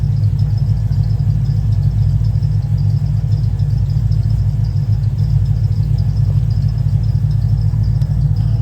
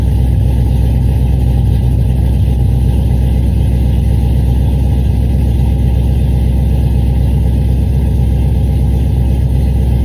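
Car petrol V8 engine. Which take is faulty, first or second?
second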